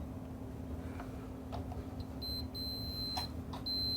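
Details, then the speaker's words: Amp repair: electrical continuity test of the foot pedal gives a clear steady beep cutting in and out as the pedal is worked, so the pedal is fine. The no-power fault is likely a wire broken off the remote plug connector. "here's your foot pedal this is working fine I just tested it electrically and I'll show you what I mean"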